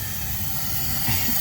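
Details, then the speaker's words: Mazda 3 2.2 Skyactiv diesel after carbon cleaning, engine off, leak-down test: steady, strong hiss of air escaping through the intake port; intake valve not sealing, suspected cracked. "it's pressing back that Fairy liquid or whatever he sprayed down there, but there is a massive leak."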